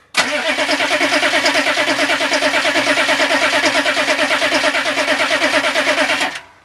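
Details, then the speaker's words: Turbo Weasel diesel in freezing cold with brand-new Bosch glow plugs, after earlier running 10-15 seconds then dying: steady starter cranking about three turns per second, never fires; owner suspects frozen fuel line; cranks but fails to start. "Nope. Frozen fuel line, all I can think of. No more glow plugs."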